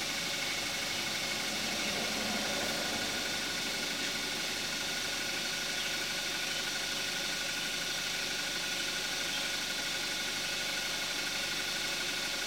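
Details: 2014 Kia Forte5 2.0 GDI, 41,000 miles, synthetic Amsoil 5W-30, after a cold start, heard with the hood closed: steady, even idle with soft, muffled direct-injection injector ticking; healthy.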